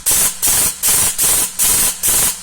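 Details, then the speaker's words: CHiLUN V2 Chinese drop-in airsoft MOSFET in full-auto: six quick hissing bursts each cut off crisply, even cycling; normal full-auto firing with some active braking stopping the motor cleanly. "can see it's got a little bit of active braking on, and I'll get to that in a minute."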